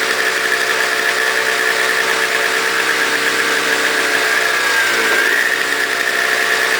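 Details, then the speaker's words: Toro CCR 2000 single-stage snow blower, 4.5 hp two-stroke, after cleaning; smoked from very old gas backed into the cylinder; idling to warm up: steady even idle with thin high whistle on top, no misses or surging; normal idle. "I'm letting it run right now to warm up so that's why it's still running yeah it runs great"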